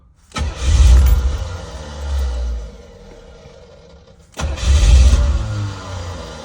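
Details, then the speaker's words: Owner's 1985 Chevrolet C4 Corvette, 250k miles, first start after sitting a couple of years, with a newly installed fuel pump, starter fluid, and 10 V battery: it fires and revs, then falls away and nearly dies, needing throttle blips. It won't hold a steady idle. "all right we got to get it to figure out how to idle but uh fuel pump works"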